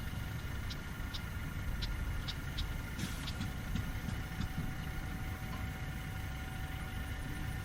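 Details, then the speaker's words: Fairbanks 208 single-cylinder oil-well engine just started by spinning the flywheel: widely spaced, uneven firing beats with irregular gaps, barely staying running; suspected not enough gas coming off the well yet, probably fed gasoline. "Trying to keep her going. Having trouble get Oh, we're probably not good enough gas coming off of that well yet."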